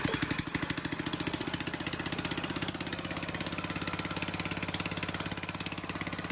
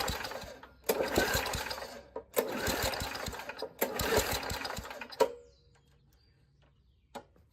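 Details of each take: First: Old Murray push mower with a 3.5hp Tecumseh engine, hand-started after a carburetor rebuild: a quick, steady, even putter at constant speed with no misses or knocks. It runs cleanly. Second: Old Murray push mower, 3.5 hp Tecumseh engine (about 1989–99), pull-start: three hard cord pulls then one pop and silence, no start despite strong fuel smell; owner suspects the carburetor needs rebuilding.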